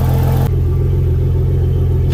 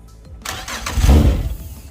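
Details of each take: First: Yamaha outboard on a Contender 32CC: steady low idle rumble, then one soft clunk into gear and the idle holds steady. Clean, normal shift; trim-up not working, suspected bad relay or trim motor. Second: Yamaha outboard on a Contender 32CC, first crank after sitting a long while with wiring newly reconnected: brief crank, catches with a rising low roar, smokes, settles unevenly. Cold start after long storage; one motor's computer reported bad.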